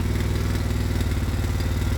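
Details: Quad (ATV) engine racing after CDI unit fiddling; fast, clattery single-cylinder beat held high without throttle input instead of dropping to tickover; carburettor out of adjustment, so it roars when started.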